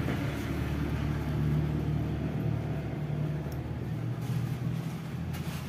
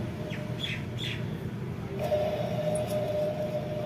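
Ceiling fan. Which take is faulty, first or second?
second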